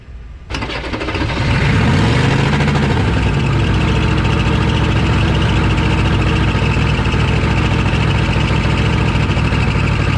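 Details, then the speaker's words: 1986 Chevy 1-ton dually with a 6.2 Detroit diesel, sitting 22 years, jump-started cold amid white smoke. It cranks and catches, then climbs to a fast, heavy, steady high idle like it might run away; the owner wonders if the starter is stuck on. "I'm not sure I actually shut it off because of the high idle it just started idling really high like it was going to run away"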